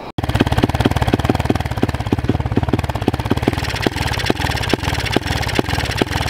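Small single thumps along at a few beats a second, then the beat goes ragged and stumbles; it's running rough and cutting in and out. Cause suspected, not confirmed.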